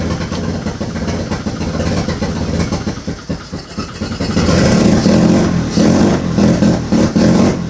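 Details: Turbo II FB RX7 rotary engine on its first real run, after leading/trailing coil checks; loud, uneven revving that surges and sags with no steady rhythm and stumbles, smoking out the garage. Rough running.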